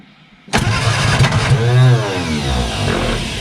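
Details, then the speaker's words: Barn-find bug-eye Sprite stored 30-40 years, first start after starter rebuild, carbs filled, chokes held: brief crank, fires and catches into ragged run that steadies somewhat; it runs. "well it runs"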